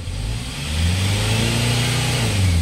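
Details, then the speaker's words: Hyundai Starex diesel, previously knocking after an overhaul, after replacing injectors 1, 3 and 4: clean, even revs that rise and settle with no knock over the normal diesel clatter. The fuel knock is gone and it runs normally. "Okay na so off ulit natin and then start Yeah so [Musika] good wala na yung fuel knack"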